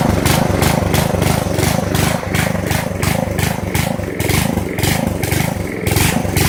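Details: Poulan 900 rototiller, small single-cylinder started on choke at slow speed, oil dripping from the carburetor airbox: pulses and surges unevenly, never settles. Owner blames oil-soaked air filter starving air. Rough running, cause suspected.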